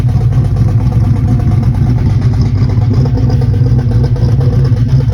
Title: Lifter Tick or Exhaust leak, not running the best